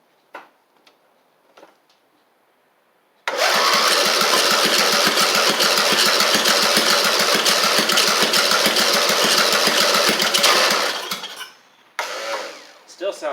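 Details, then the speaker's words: Briggs engine on an Eagle Star riding mower, believed blown and knocking, leaking gas from the top: about seven seconds of fast, even cranking with no firing; owner suspects it is flooded. "It sounds like it's flooded flooded out, which is very possible because it was just leaking gas out the out the top there."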